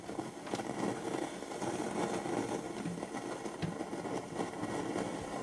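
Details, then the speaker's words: 1969 Telefunken Gavotte 201 tabletop transistor radio on long/medium wave with internal ferrite rods at midday: only crackling hiss with scattered pops and no station on any band; antenna break suspected, cause unconfirmed. "uh it's totally dead it's making a lot of noise but uh no reception on any of the Bands"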